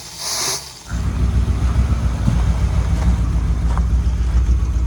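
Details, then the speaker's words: Rebuilt Mopar 440 big-block V8 in a 1973 Dodge Vector RV with a brand-new carburetor: a lumpy, uneven idle with a low puffing beat; it sounds like an exhaust leak, while the cause is still unconfirmed. "Sounds like it's got an exhaust leak. Something's going on."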